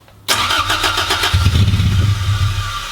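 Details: Mk1 Toyota MR2 first start in about 12 years, no exhaust fitted: starter churns briefly, engine catches rough and loud, stumbling before settling into a ragged idle.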